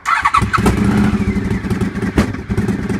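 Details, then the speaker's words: Honda VFR750F V4, used replacement engine with 34,000 miles in a 91,000-mile bike; lumpy uneven idle with backfiring pops and stumbles. "listen to that. You hear those backfires? We're trying to sort that issue there and make it run properly."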